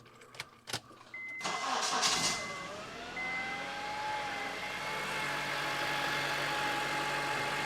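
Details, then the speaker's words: Car with 270,000 miles (owner reports 27 mpg), starting with the key after a chip glued back into it: short crank, quick catch and flare, then smooth steady idle, no misses or knocks; normal start and idle. "270,000 miles, and it's still just going like a champ."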